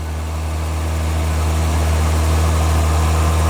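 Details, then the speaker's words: 2010 Volvo XC70 T6 cold idle after first start with new custom intake without resonator: deep steady drone, even low hum with faint rush of air through the piping; healthy. "We can actually hear the sound of the air going through the piping. That's incredible."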